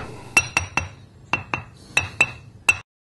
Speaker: now that same Stone only this time with a crack notice how dead the sound is there's no ring to it